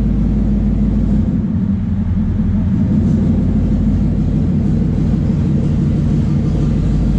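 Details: 2014 Mustang 5.0 Coyote swapped into a 3V S197 Mustang using a plug-and-play harness, first start with no pedal; deep, steady V8 rumble settling into an even idle, no misses, knocks or ticks; normal idle.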